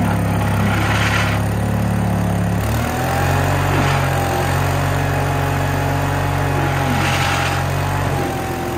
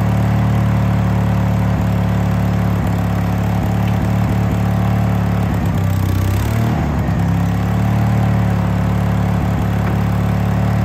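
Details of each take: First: Case 1816C skid steer, sat in a barn 10+ years, moving after engaging clutch lever: steady engine drone dips briefly then recovers as it takes up drive; normal running under load. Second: Case 1816C skid steer sat 10+ years, first run: steady low diesel idle with a brief labouring dip as drive is engaged; didn't move, sounded starved, owner suspects the hydraulic oil drained out.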